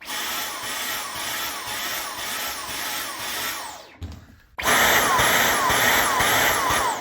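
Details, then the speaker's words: Dyson V15s Detect Submarine wet roller mop head fitted to another Dyson vacuum: the motor whine pulses about twice a second. Blockage protection triggers because the airflow path is blocked off. "Basically, when you hear that pulsing sound or you see this yellow indicator, that means the vacuum believes there's a blockage."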